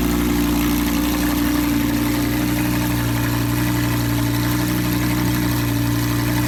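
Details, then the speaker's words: Lamborghini Huracan V10 rebuilt after a collision, first start, exhaust removed (straight pipe with cats), in neutral: deep, steady, even engine note with no misses, knocks or ticks; normal running. "giving them that full send sound so good without the exhaust but I'm sure it's gonna sound better with exhaust this is a straight pipe with cats pretty much"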